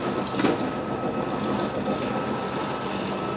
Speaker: You slide out. You see I'm pushing the out button here. Out it goes.